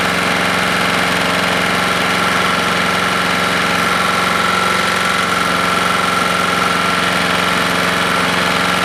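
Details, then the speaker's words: Husqvarna lawnmower engine after JB Weld repair and carb screw adjustment; uneven stumbling beat under a harsh exhaust note, breaking up and quitting on its own; cause unknown. "yep i just quit on its own i could hear it breaking up something's not right here"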